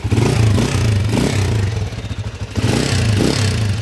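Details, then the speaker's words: 1988 TMX155 Super Trike, 37 years old and noisy engine, recorded before teardown: rough, uneven single-cylinder idle with loose mechanical clatter. Cam lobe deeply worn, cam followers worn knife-thin, cam gear and pin worn, kick spring broken. "Yan, napakaingay. So patay. Okay, napakinggan natin yung andar niya mga kabro. So ito yung kanyang cam follower, talagang kayod na kayod."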